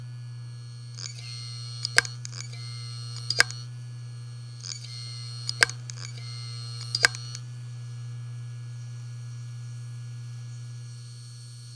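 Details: Western Digital Ultrastar DC HC550 18TB SATA 7200 rpm helium drive, dead on first power-up: spin-up hum, clustered sharp repeated clicks, then wind-down; click of death, return for repair.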